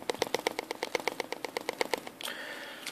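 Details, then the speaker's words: Sony PlayStation Vita opened up and shaken: quick light plastic clicking, about eight a second, from the battery, which is not screwed down at the top and rattles loose; fix is securing it with hot glue. "basically when you shake it you can you can hear it rattling if I hold these little pieces down and I if I hold it in place and shake it you can kind of hear it"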